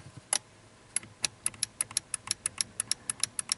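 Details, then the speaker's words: 2006 Ford F-150 5.4 no-crank, no-communication (codes U1900, U2023); fuse-box relay clicks rapidly and unevenly, about four or five a second, with green corrosion visible on the relay and in the box. "That relay is clicking. But look what I see. I may have just accidentally diagnosed it."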